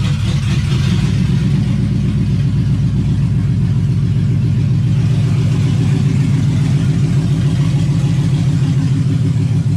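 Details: LS-swapped Camaro with electronic 4L60/4L80 automatic, in gear: engine drones at one steady speed for ten seconds without upshifting; speed sensor had been unplugged, plug being reconnected.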